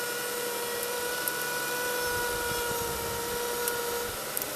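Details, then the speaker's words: Toyota 3MZ-FE V6 (Camry/Solara) at idle: steady high alternator whine that disappears when the alternator plug is disconnected, arcing visible at the plug; failing alternator, to be replaced. "guys. You hear that whining noise?"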